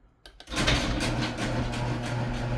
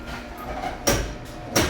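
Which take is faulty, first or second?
second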